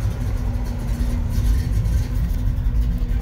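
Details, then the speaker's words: 1982 Chevrolet Blazer started in the driveway: steady low engine rumble with a faint constant hum, even and unbroken; truck runs really well, all gauges work, normal running. "just gonna start it up real quick ah truck runs really well all the gauges work"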